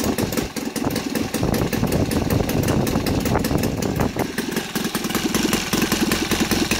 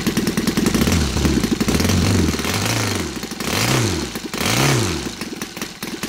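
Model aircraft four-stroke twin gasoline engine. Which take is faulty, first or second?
second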